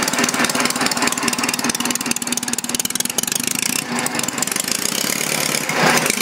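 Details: Homemade inline four-cylinder engine built from Briggs parts, first runs near 500 rpm: uneven firing stumbles, thins and nearly dies, then picks up raggedly; owner thinks he flooded it, and exhaust reads only 140–150°.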